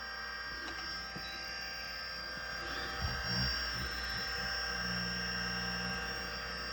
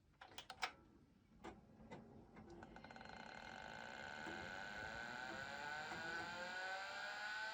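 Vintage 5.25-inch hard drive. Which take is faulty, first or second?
first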